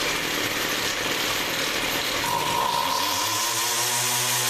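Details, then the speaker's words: Two-stroke weed whacker after carburettor, rewind spring and air filter housing repairs, with the carb remounted on full choke. A high buzzing run stumbles briefly as the throttle opens, then smooths out: a persistent initial hesitation on throttle. "Well, it runs better than it did. Doesn't seem to be, no matter what I do, I can't seem to get that initial hesitation to go away. But it's going to become my backup weed whacker anyway. I don't like that hesitation."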